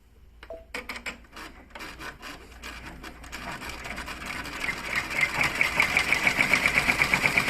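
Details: PR1055 sewing machine strange noise: needle mechanism speeds up into a fast, even clatter with a sharp high ticking on every stroke; something rubbing or striking, source unknown.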